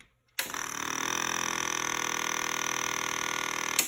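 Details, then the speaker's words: 1997 Honda CBR600 F3 with the fuel pump relay bypassed by jumping the black/white and black/blue wires, ignition on: a steady electric hum of about three seconds that cuts off cleanly. The fuel pump primes normally. "I've jumped the two wires I'm going to turn on the ignition and we'll see if I hear the fuel pump"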